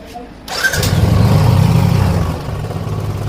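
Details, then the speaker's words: Royal Enfield Classic after fuel pump motor and filter replacement (rust cleaned from tank), higher fuel pressure: starts straight away and settles into a deep, steady single-cylinder idle without stalling; healthy start and idle. "गाड़ी अभी बंद भी नहीं हो रही है, चालू है।"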